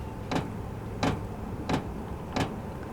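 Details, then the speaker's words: All-in-one diesel camping heater powered by a lithium power pack: the dosing fuel pump kicks in at startup, sharp even ticks about 1.5 per second, feeding fuel to the combustion chamber normally. "can you hear that that's the fuel pump it kicked in so now it's pumping fuel into the combustion chamber down there"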